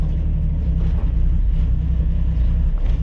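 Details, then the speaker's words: 1965 Ford Mustang straight six, stalls after warming up; owner suspects coil not getting enough power or carburetor needing cleaning after sitting all winter: deep heavy rumble with small sags in the beat, stumbling then dying. "stay right here it wants to die yep listen to that dead"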